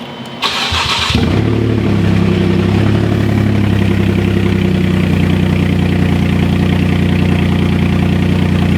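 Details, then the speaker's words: Rebuilt wrecked Porsche Cayman after a transmission swap and clutch bleed, no exhaust fitted: short crank, catches quickly, then a loud raw but even idle; engine sounds healthy and the clutch engages into gear. "woohoo wow guys great news I mean we it started it's running it sounds super loud which is what we want and it's spinning that felt great"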